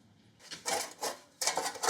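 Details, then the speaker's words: Victa 10-42 / MTD 145-760A lawn tractor, about 50 years old (1970s), found under a tarp, engine turned slowly by hand with covers off: dry, scratchy scraping bursts as rust on the flywheel rubs the ignition coil; fix planned with sandpaper. "There we go, we can see there's a bit of rust here that's rubbing on the coil. You can clearly hear it there."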